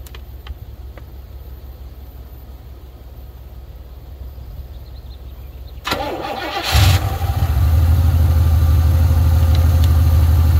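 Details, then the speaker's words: 1980 Pontiac Trans Am Turbo 301 V8 after sitting 18 years, restarted after fuel work: brief crank, catches and settles into a steady, even idle on its own with no misses or knocks; normal idle. "you're joking that was too easy this thing's just been sitting here idling away for like five minutes now just been letting it run clean itself out"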